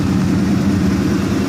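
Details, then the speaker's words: 1970 Oldsmobile Cutlass SX convertible V8, engine running 25 minutes on a hot day at about 210 degrees: deep steady burble with a faint quick ticking from a small exhaust leak on the right-bank exhaust manifold. "can hear a little bit of a exhaust leak on the right bank of the exhaust manifold."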